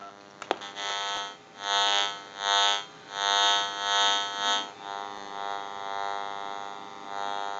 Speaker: so it can cause interference so what we're going to do is we're going to go ahead and give you some dial tone and we're going to try to put it at a location where it's not too bad and we can hear our dial tone